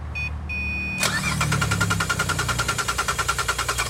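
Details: 2009 Pontiac Torrent 3.6 V6 no-start: steady starter cranking about three beats a second, engine turning evenly but never catching; fuse showed seven volts, no communication with computer, traced to missing ECM case ground.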